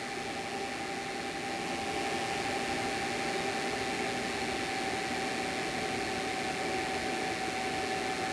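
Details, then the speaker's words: WEIZE 2000W inverter powered by a 100Ah LiFePO4 battery, load ramped past about 600 W: the cooling fan kicks in with a steady airy whoosh and a faint constant tone; the fan is running normally under load. "So it looks like right around 600 watts, the fan kicked"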